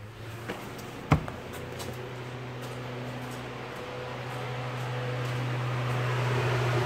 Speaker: so I'm just gonna turn the keys forward and I can already hear that it's working